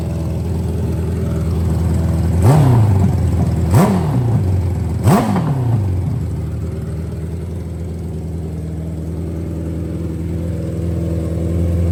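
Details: Nitrous Hayabusa drag bike freshly reassembled after storage, with good oil pressure: three quick throttle blips, then the revs hang at a fast, steady idle instead of dropping. High idle; the owner suspects something was assembled wrong.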